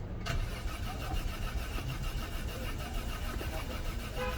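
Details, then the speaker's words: Peugeot 407 V6 cranks but won't start after top cylinder head gasket replacement; quiet, steady starter chug that never catches. Scan shows injector codes P0201–P0206, cooling fan running constantly, and disconnected intake air temperature sensor, suspected as cause, not confirmed. "I know why after replacing the top cylinder head gasket the car will crank but we not start"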